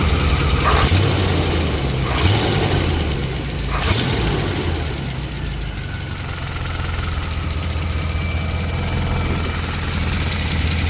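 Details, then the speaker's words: 1963 Chevy Impala small-block V8 being started during valve lash adjustment: a steady idle with a light, quick ticking, about four a second, over the rumble, from loose valve lash; afterwards slightly quieter, with a leak nearby blamed for most of the noise. "Um, little girl been making a ticking noise. I already know what it is. The valves need to be adjusted."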